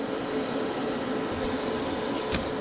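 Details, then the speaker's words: Reliable Electric 8000 W pure sine inverter on a 48 V lithium battery, overloaded by a heater (109 V output, 62 A): a steady thin buzz over fan hiss persists inside even after voltage recovers; the buzz stops once the heater is off. "It looks like the volts have come back up here. But something is sounding wrong inside there still."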